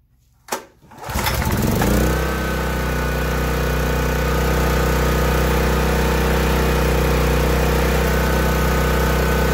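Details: Small gasoline generator started with one pull at half choke, fuel valve on, before the fuel supply is cut to run the carburetor dry for long-term storage; quick catch, then a steady even engine drone that settles and holds, running smoothly.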